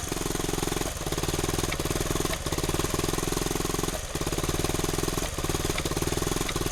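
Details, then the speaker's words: 1971 Honda CT90 just rebuilt, which only wants to run on choke: small fast single thumps that dip and stumble about every second, rough running. Starting fluid on the connections made no RPM change, so owner suspects dirty carburetor jets rather than an air leak. "Huh. That doesn't sound good at all."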